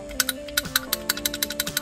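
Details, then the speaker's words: BMW VANOS camshaft actuator solenoid, removed and cleaned during a cold-start problem diagnosis, bench-tested before oiling and refitting: crisp, evenly spaced clicks about six a second over music; it switches cleanly and works perfectly. "il fonctionne parfait"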